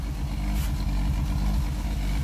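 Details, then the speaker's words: 1962 Rambler American 400, cold start with exhaust heat choke on, running rich: steady low idle, slightly lumpy, no whirring, belt rubbing or bearing noise; sounds like a normal engine. "Ah, listen to the sound of silence though. Can you hear that? It just sounds like an engine. There's no whirring, there's no belts rubbing, there's no bearing noise."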